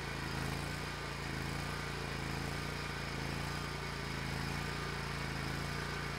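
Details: Hustler Raptor SD zero-turn mower, which used to die when moved or when the mower was engaged, now runs again after a seat switch fix and a battery recharge; its engine holds a steady, even run with no stumbling or bogging, normal running.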